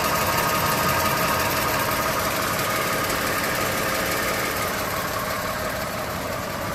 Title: 2gr-fee ticking noise